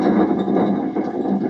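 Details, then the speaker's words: Bad Boy zero-turn mower deck with pulleys off: turning the center spindle by hand gives a dry, gritty grinding with a good bit of play, from worn spindle bearings. The deck screamed with the PTO on; the spindles were replaced. "hear that grinding? I don't know if you guys can hear it on the camera, but it's got a good bit of play."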